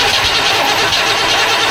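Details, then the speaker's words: Vortec 5.7 L Chevrolet Suburban cranking without starting: starter churns with a steady, even rhythm and the engine never catches. Fuel flow, injectors and spark were checked. Caused by a failed camshaft position sensor and a dirty, corroded distributor cap. "Thanks for watching the 3-day Suburban saga. Crank no start, problem solved. Camshaft position sensor, dirty distributor, classic."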